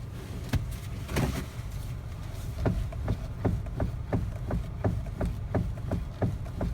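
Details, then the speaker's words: Hyundai Avante HD X16, single owner, 150,000 km, engine quiet: steering wheel rocked by hand gives sharp evenly spaced clunks about once a second, a knock rising from below in the steering gear rather than the MDPS recall part. "뚝뚝뚝뚝 들리시죠? 이제 요 부분이 일단 아반떼하고 i30가 유난히 심합니다."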